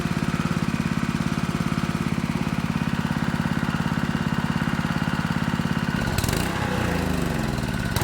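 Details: Honda GX200 water pump engine after carburetor cleaning, fresh gas: chugs at a steady rhythm, then stumbles and speed wavers after about six seconds; only runs on full choke, carb to be rechecked, cause unknown.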